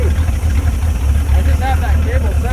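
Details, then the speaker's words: Abandoned Chevrolet C10 project V8 idling with no exhaust fitted and good oil pressure: deep, even low burble with steady firing pulses and no knocks or misses; a healthy motor. "Oil's popping great. I think that's a pretty healthy motor if you ask me."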